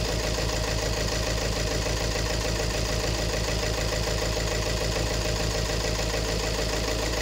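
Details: 2018 Peugeot 3008 diesel at idle with hard, even clatter and a rhythmic pulse, multiple trouble codes; injector number one reads 1.17 against about 0.78 for the other three, so a faulty injector is blamed.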